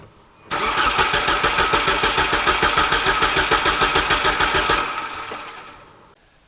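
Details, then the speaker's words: 2003 Hyundai Sonata crank test with the ignition coil fuse pulled: the starter cranks steadily at about three pulses a second with even beats and no light strokes, so compression is even and there is no serious compression problem. "all right very surprising there actually I was expecting um honestly not even to be filming this because if we had low compression we've got so many videos on that it wouldn't even be worth doing"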